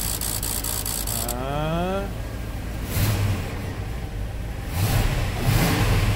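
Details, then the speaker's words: 1997 work truck V8 after replacing a number two injector that pulsed but delivered no fuel, causing a lean-cylinder misfire: starter whirs, engine catches and settles into a steady, even idle with no stumble; the misfire is gone. "I think it sounds way better let's go listen to that tailpipe yeah took care of it I'd say our misfire is completely gone"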